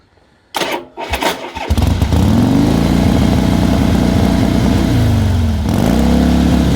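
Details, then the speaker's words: 1979 AMF Harley-Davidson Sportster: it starts after stumbles, then runs loud with uneven, lumpy firing and wandering speed. It won't idle without three-quarter choke; the points are suspected, not confirmed. "it won't tick over without a chug oh yeah choke has to be on at three quarters yeah three quarter choke or it won't idle um we believe it's the points"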